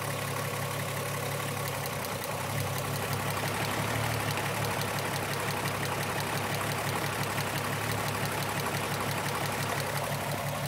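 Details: Petrol engine idling with an uneven, stumbling misfire of unknown cause that persists after a new coil pack, plug and injectors and ohm-tested wires.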